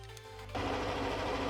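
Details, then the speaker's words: Yamaha NMAX125 scooter cold start right after a DIY valve clearance adjustment: fires up and settles into a quick even idle with a light tick, normal when cold and fading once warm. "pode ouvir um estalo leve—normal. Quando aquece, o som some—é isso que queremos."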